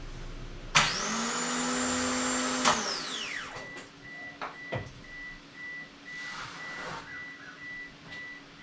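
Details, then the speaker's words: Mitsubishi Eclipse, first attempted start, cranking to build oil pressure: hard rising whine with loud hissing spray for about two seconds, then dies away; fuel spraying from a leak of unknown location, engine bay soaked. "so we just uh blew a lot of fuel there I was wondering what that noise was and I don't know exactly where it was coming from in there but it's pretty soaked"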